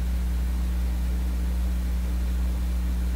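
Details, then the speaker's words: Canadian Viking console stereo with Garrard 121 MKII turntable, unknown cartridge pin wiring: only steady low hum and faint hiss, stroking the needle gives no signal; cartridge suspected shorted or in off position. "Maybe it's in off position, and it could be the cartridge is shorted out right now."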